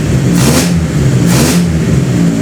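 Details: Toyota 4A-GE with bike carb conversion, wideband O2 sensor adapter plate failed leaving the old EGR hole in the exhaust manifold open: loud raw blatting bark swelling with each throttle blip as exhaust escapes the manifold hole.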